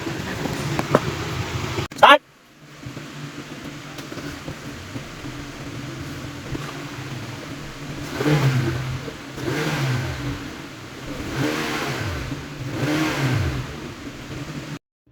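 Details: Car with check engine light and a squeaking complaint, diagnosed by scanner DTC and visual inspection; after the repair the engine idles smoothly, then revs up and settles a few times with no squeak or squeal.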